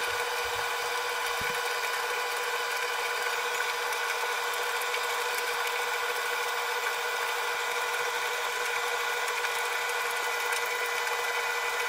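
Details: Arçelik 3891 KT A++ 9 kg tumble dryer mid-cycle with a small load: steady motor hum with light ticking from the tumbling drum, no grinding; drum stops and reverses for moisture-sensor dryness checks; normal running.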